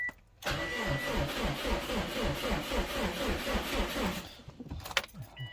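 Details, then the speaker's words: 2001-07 Subaru Impreza WRX/STI 2.5L with fuel pump relay connector unplugged: starter cranks steadily about four seconds but never catches, no fuel pump buzz from tank; crank no start from no fuel pressure. "take it out the key tried to hear the buzzing sound on the back where the fuel tank is for the fuel pump yeah I didn't hear any buzzer didn't hear nothing so there you go guys disabled the fuel pump no pressure no start that's what we want"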